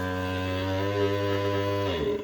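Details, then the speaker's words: Creality LD-002R resin 3D printer, Z stepper driving build plate up with no top limit sensor (only bottom sensor): steady droning hum for about two seconds then cuts out as it stalls at end of travel; it still works. "It has sensor when it reaches the bottom, but it does not have sensor when it goes up. Go up. Listen to that sound."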